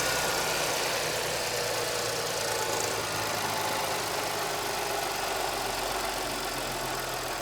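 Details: 2010 Audi A6 4F/C6 3.0 TFSI, 110,000 km, at cold start; thin, busy metallic rattle over the idle, owner suspects the timing chain, source not confirmed.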